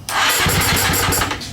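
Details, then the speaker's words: KTM TPI two-stroke, fresh engine, long-sat bike, freshly charged battery, strong spark: starter churns with uneven chuffs, tries to catch a few times but dies; owner suspects the barely running fuel pump isn't supplying enough fuel. "so if we hit the button anyway you can hear the pump run just barely it's not making much noise which um and then when we it tries to go"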